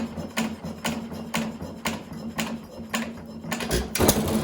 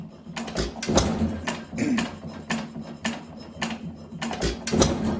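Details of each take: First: 1920 1.5 hp Alpha De Laval (John Lauson Frost King Jr) hit-and-miss engine: sharp firing pops about every half second, quiet coasting between, no knock. Normal running. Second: 1920 1.5 hp Alpha De Laval (John Lauson Frost King Jr) engine, governor adjusted about as far as it goes without adjusting the governor spring itself: firing thumps with a light metallic tap each cycle as cam strikes follower; cam follower adjustment or swapping to a washer could reduce it.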